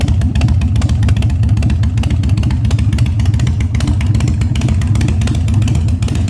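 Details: 1997 Harley-Davidson Fat Boy after carb cleaning, new spark plugs and new battery, no air cleaner fitted; cold start on choke at 70°F, humid. Deep, loud V-twin rumble with even throttle blips, no popping or stumbling; revs normally.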